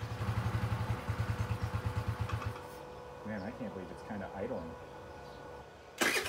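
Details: Chinese 50cc Geely scooter that sat unused, first attempts to run, carburetor suspected to need removal (later found not sealed on intake boot); uneven lumpy putter for a couple of seconds, then falters and quits, rough idle.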